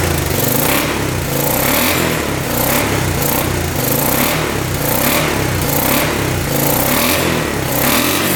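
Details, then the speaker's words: 1986 Honda Fourtrax 350 4x4 ATV, single cylinder, sat neglected for years, penetrating oil put in cylinder: steady even exhaust beat with mild revs, no ticking or knocking, no smoke; running healthy. "it's probably still burning that off but man that sounds really good sounds really good it's not smoking anything off the back here"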